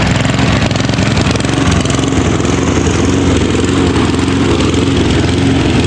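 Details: Mountfield lawnmower SV150/RV150 engine, Champion 40, throttle lever not working: speed wavers, revving up and down, hunting; suspected governor counter-spring broken or unseated, needing repair or replacement. Not confirmed.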